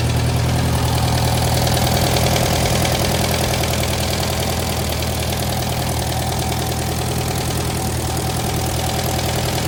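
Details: 1956 French-built Massey Harris Pony 812 tractor started after repairing a gasoline leak at the fuel pump: low, even chugging at a steady idle, about two hundred beats a minute, no knocks or misses; idles smoothly.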